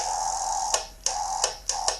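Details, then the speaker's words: 1981 Suzuki GS650GL under teardown, key turned to start with the battery connected: a handful of sharp clicks over a thin electrical buzz, no cranking, starter not engaging, sulfur smell; owner suspects a blown or dying starter solenoid, unconfirmed. "so I'm wondering if starter solenoid or what could be possibly blown or dying but man it stinks now"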